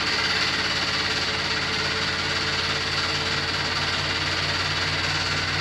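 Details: New Beko WY124PT44MW 12kg washing machine, 3rd or 4th use, light load: steady metallic rattle and fast knocking about three a second as drum turns; installer left a transport bolt in and feet lock-nuts unset.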